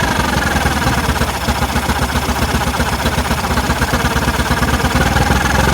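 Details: Rough idle right after carb was cleaned spotless: lumpy, uneven idle with loud pulsing low throb that never settles; cause not yet found.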